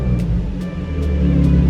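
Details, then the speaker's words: Nissan 350Z/G35, cold, after camshaft position sensor replacement, given a brief light throttle blip: deep, even note with faint steady ticking, no misfire or stumble; sounds healthy. "I mean, I don't want to rev it when it's cold, but we're just gonna give it a little rev."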